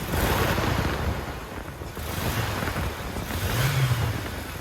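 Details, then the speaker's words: 1998 Toyota Tacoma after replacing its three drive belts (alternator, A/C, power steering) and idler pulleys, belts tensioned to about half-inch deflection; engine revved lightly, rising and falling cleanly with no squeal or chirp, so the belts sound quiet and healthy. "i didn't hear any belts squealing so it's good"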